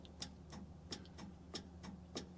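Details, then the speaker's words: 1977 Chevy Monte Carlo with battery connected and key off: crisp relay clicks about three per second. Something feeds power constantly, suspected of running the fan and causing a battery draw. "if you can hear that relay clicking in and out every time I give a power it shouldn't do that the key is off so I should be getting no power inside"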